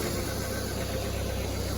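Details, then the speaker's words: Dodge Neon after a new alternator belt, tightened properly, replaced a loose one that had jumped off and shredded causing loud ticking: the engine idles smoothly and quietly with no ticking, popping or clicking; oil full. "No popping and clicking. Look how tight that belt is. Nice and quiet. Absolutely awesome."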